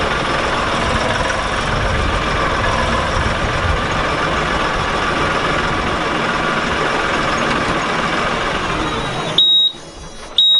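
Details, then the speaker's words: LS XR3135 tractor at 330.7 hours, back from the mechanic shop: steady diesel clatter cuts out abruptly with warning beeps as the engine dies on its own, key still on, battery and engine lights on, no dash codes; stalling cause not found. "it went dead again our battery light is on our wall engine light is on"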